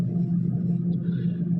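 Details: Refrigerator after being switched off to melt ice buildup that made the fan noisy; only a low, steady hum with no rattle or scraping from the fan; normal running.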